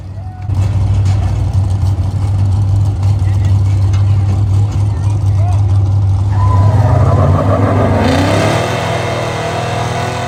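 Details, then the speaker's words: Chevy 8.1 Vortec V8 truck, heavily used: heavy rumble with rough irregular beat and faint rising squeal as revs climb; owner suspects a broken flexplate, unconfirmed. "So, I got this nasty noise in my truck. Not sure what it is."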